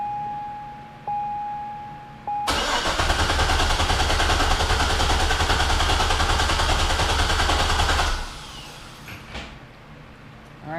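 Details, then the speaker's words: C6 Corvette after fuel tank and sending unit removal and modification: on the first start attempt the starter churns steadily for about five seconds with no firing and no fuel pressure; the cause was found to be fuel pump wires reversed on the pump posts. "so now we're about to fire it up and see what happens nothing no feel pressure"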